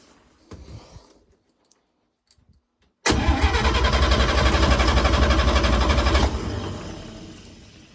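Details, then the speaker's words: 1954 International Metro van, engine just installed, strong even cranking at about four beats a second with no firing: cranks, won't start; acting like no spark. "That's acting like it doesn't have spark."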